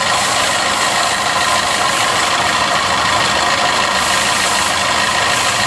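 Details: Maruti Suzuki Swift Dzire at idle with a coolant leak: constant raspy whirr and light rattle that doesn't change; abnormal engine noise attributed to a failing water pump.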